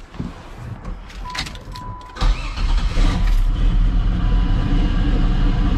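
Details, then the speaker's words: 1984 Fiero wide body with a 3800 V6 swap, after replacing reused header gaskets and adding a V-band exhaust clamp: starts, blips, then settles into a steady, deep, even idle with no ticking or puffing, exhaust leaks fixed. "no more exhaust leaks well i'm happy with it sounds a lot better"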